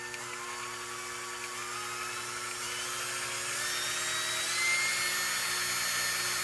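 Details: KitchenAid seven-speed mixer after replacing the power-supply capacitor (DC now measured at 1068): a steady high motor whine that climbs slightly as it spins up, smooth with no grinding. Normal running.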